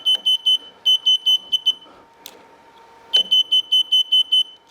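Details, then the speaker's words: Mobility scooter that won't move despite full charge: controller beeps seven quick times, pauses, repeats; flash code seven indicates a loose connection. "this off it will start to flash for the slack connections so it's a 7"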